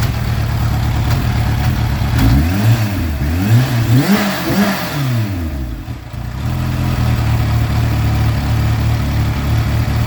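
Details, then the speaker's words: Kawasaki Ninja H2 idling with a quick, uneven clicking/clanking rhythm, brief rev, then shut off; noise only at idle, fine accelerating and shifting, cause unknown to owner: clicking/clanking at idle. "like everything else works fine uh like when I'm accelerating or when I'm changing gears everything is fine but it just when it's idling it's making that clanking sound"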